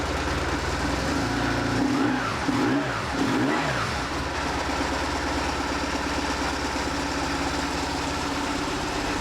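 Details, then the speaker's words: 2004 BMW R1150R oilhead boxer twin, 22,711 miles, after no-start and poor-running diagnosis and repair: a couple of quick throttle blips, then a smooth, even, low idle with no stumble, both cylinders pulling; runs as it should. "It runs like an oil head is supposed to run."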